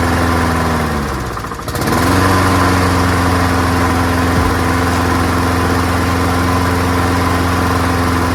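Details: Free, old, rusty, worn-out Honda self-propelled lawnmower starting on the first pull after a small test fill of gas, with oil clean and full. Revs dip briefly, then settle into a steady, even drone with no misses or knocks. Engine healthy; carburetor judged not to need cleaning.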